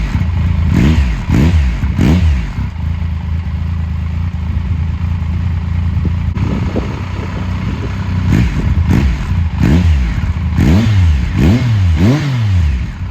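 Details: 2000 Triumph Sprint ST 955 triple, first start in 24 years after being wrecked new and stored in a barn, with a cleaned fuel pump and new fuel hoses: rough idle with repeated quick blips rising and falling, about four a second at times; runs and revs cleanly enough.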